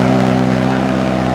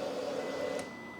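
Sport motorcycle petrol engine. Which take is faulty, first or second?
first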